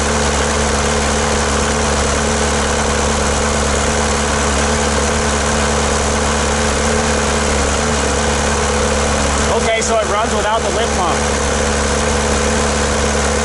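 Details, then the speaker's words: Volkswagen MK2 diesel after new fuel return lines, injector pump believed faulty, running on the lift pump: loud, steady idle with coarse, uneven clatter, plenty of smoke from the pipe and exhaust manifold; runs rough and won't accelerate. "plenty of smoke coming out of the pipe let's listen to that [ __ ] that sounds like [ __ ]"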